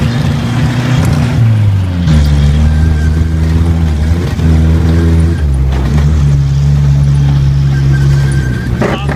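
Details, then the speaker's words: 1980 Chevy Luv truck, long unused and revived, running on a replacement carburetor: the engine note climbs with throttle, then repeatedly sags and cuts out at high rpm before recovering. Owner suspects lean jets and plans to refit the cleaned original carburetor; timing also possibly at fault. "it's cutting out and high rpm I think I need to clean up the original carburetor and put it back on there"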